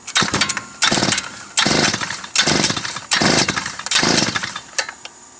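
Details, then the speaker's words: Predator 56257 engine on an earth auger, with good compression: about six recoil pulls, each a short buzzy crank that dies without firing; a loose intake manifold air leak prevents starting. "no está aprendiendo y no va a aprender les voy a decir porque miren miren el maní folk está suelto"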